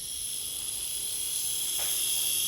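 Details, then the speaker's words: Small electric motor with prop shaft for 1960s Veron Caribbean Coaster model boat, after three-in-one oil cured squeak: steady high-pitched whir, smooth and even, no squeak or rasp; running freely. "listen to that that's more in keeping for a vintage model boat isn't it"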